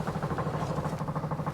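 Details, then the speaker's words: Rapid, even ticking of about nine or ten beats a second with no engine running: the electric fuel pump priming normally on a Corvair-powered Baja Bug being readied for the road. "so i don't know if you can hear that that's the fuel pump running just let it prime and get some uh go juice in there"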